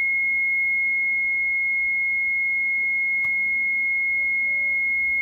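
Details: Mitsubishi Shogun with almost no brakes, ABS and brake lights on: unbroken high-pitched electronic warning beep; uncleared HBB brake booster fault codes, suspected pump motor problem.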